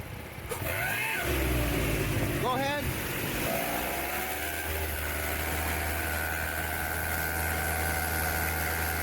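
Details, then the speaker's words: Buick idling after recent exhaust work: quick light ticking about three to four per second over a steady idle, keeping pace with the engine; a missed exhaust gasket is suspected but not confirmed. "This customer had recently done some exhaust work on their Buick and started hearing this very odd noise. Sounds like they may have missed a gasket when putting it back together."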